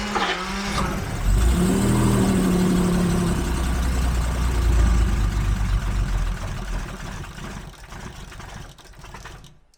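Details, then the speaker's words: Jaguar XJRS V12 on external fresh fuel, injectors opening, good spark, fuel pressure regulator swapped, run at full fuel pressure: steady cranking drone with uneven catches, never runs; floods right away from excessive fuel pressure. "It's definitely getting flooded right away. Alright, let's disconnect that and then we'll jam this here and we'll see if we can clear the flood."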